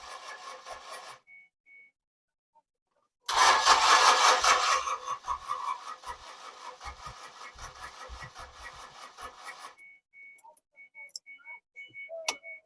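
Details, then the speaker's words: 2006 Ford Escape, engine freed after sitting seized over two years, plugs back in: starter cranks steadily two to three beats a second without catching; fuel pump not heard, crank no start from fuel starvation. "maybe cycle the key a few times and if it's you know they can get some fuel up to the injectors"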